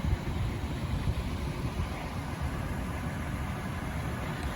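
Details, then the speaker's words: 2019-2020 Toyota 4Runner TRD Pro after replacing the noisy Fox Racing front strut assemblies (cold-weather noise per service bulletin), while driving: steady low road rumble, no knocks or clunks; front suspension now quiet. "there you have it guys just like that we replace the complete shred assemblies on this car and she has no more noises"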